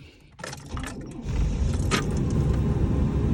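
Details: Old body style (OBS) Chevy Tahoe/Suburban that won't crank in freezing weather despite good voltage: after moving the tilt steering, a click and brief crank then engine catches and runs steadily; starts cleanly.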